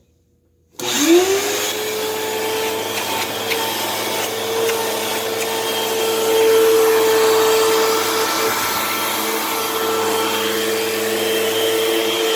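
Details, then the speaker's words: Thrift-store vacuum cleaner running with the hose off: very loud, steady high motor whine with faint squeaking and creaking; loud motor with squeaking, motor and housing suspected to need work, not confirmed. "so well one thing's for sure is that this machine is very loud and clearly needs some motor work done as well as some housing work as well since you can kind of hear that kind of squeaking creaking noise"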